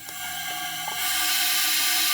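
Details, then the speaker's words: 2008 Hummer H3 misfire diagnosis: leak-down test on cylinder 4 with the microphone at the throttle body, throttle opened and closed. A hissy rush of air swells when the throttle opens, confirming a leaking intake valve. "So confirmed number four cylinder intake valves leak down test"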